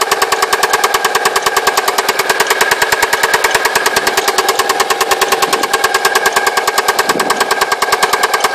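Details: Alfa Romeo 147 2.0 TS: sharp, very regular loud metallic knock about three times a second over the engine note after it made a funny noise and cut out; owner suspects big end bearings or a pulley.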